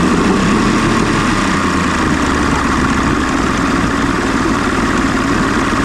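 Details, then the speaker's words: 1993 Johnson 60hp two-stroke outboard settles into a steady, even idle burble with no misses or knocks after Deoxit cleaning of corrosion, probably on a battery cable; owner suspects the corrosion caused the problem and will test it further. "I think what was happening is maybe you know that little bit of corrosion that's probably a positive or a negative cable."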